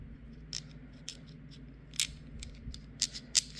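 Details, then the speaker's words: Warn (BRP) XL3000 winch off a 2011 Can-Am 400 XT, primary drive gear set turned by hand: sharp, uneven clicks and rattles two to three a second; owner assumes its bearings are bad. "there we go that one's pretty bad so the bearings on the and I I assume this is the primary drive gear set the bearings on this one are messed up"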